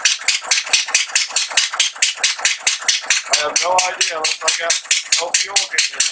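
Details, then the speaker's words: Atomic 4 boat engine with plugged exhaust, only water leaving the exhaust port: slow uneven hissy chuffing, running on one cylinder as exhaust is pushed back through number one cylinder. "so I have something plugged holy cow that explains why it's running on one cylinder because all that exhaust is coming back through is being pushed back through the number one cylinder"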